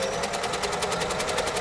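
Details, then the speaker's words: Early-1970s Singer Stylist sewing machine (413 vs 476 comparison) sewing with a rapid, even stitching patter of about twelve beats a second over a loud, high whir; the owner suspects a weak or failing motor, unconfirmed. "And that's one of the things that you need to bear in mind when you're buying a second-hand machine, and that's the sort of noise that you are listening for."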